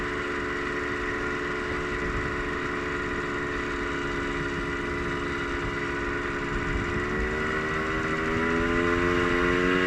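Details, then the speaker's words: Polaris Trailblazer 250, smoking: loud, raspy two-stroke buzz that climbs in pitch with throttle, with an extra top-end-type noise under throttle; owner suspects a top end rebuild may be needed. "One thing I might have to do, every time I give it throttle, I hear how do I describe it? Like one of those sounds that you usually hear in the top end when it's kind of going out."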